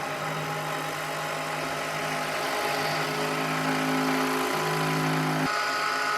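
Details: Milling spindle on a heavy roughing helix-spiral cut into a hole (to 26 mm diameter): steady whine sags as the cut loads it, losing almost 200 RPM, then jumps back up when it lets go; the cutter survived.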